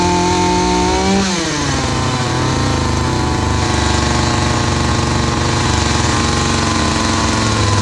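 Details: Hyundai 450 chainsaw after carburetor diaphragm replacement (previously dropped back under throttle and stalled while cutting): drops off a high scream, then climbs back to a steady, clean high rev without stumbling; runs and revs normally.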